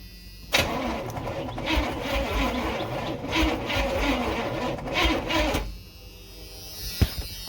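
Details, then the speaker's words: 1986 Chevy Silverado C10 with a carbureted Vortec 350 swap and TH350, first fire-up attempt with gas poured down the carb: about five seconds of sluggish, uneven cranking. Battery cable heating up; owner suspects poor grounds. "I think what I'll do is I'm gonna hook up a couple more grounds real quick. I think that might be one of our problems. It ain't turning over very good."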